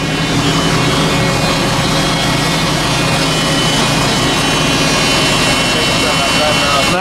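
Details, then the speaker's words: 1968 AMC Rambler Rogue, AMC 390 V8, four-speed, heard from underneath: thin steady high whine over the idle, not following engine speed; loud electric lift fuel pump. "it does sound like he's got an electric fuel pump running but yeah"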